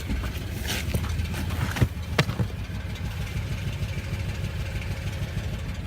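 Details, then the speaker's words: 2006 Acura TSX at idle before the coil swap, worse from inside the car: stumbles with uneven pops and skips, then runs lumpy and unsteady. Misfire at idle. "I don't know if you can hear that. It's worse when I'm sitting in it."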